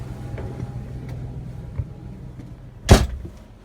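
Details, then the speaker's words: Onan Marquis Gold 5500 RV generator (model 5HGJAAB), previously stalling after running, after fuel pump replacement, with spark plugs, fuel filter and cleaned carburetor done earlier, cover on: steady low drone at even speed under air-conditioner, probable battery-charging and fridge load, one handling knock; runs smoothly under load. "all right so the air conditioner just came on batteries are probably charging and the fridge is also on which has been off for a while now"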